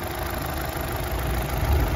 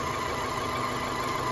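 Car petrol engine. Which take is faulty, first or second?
second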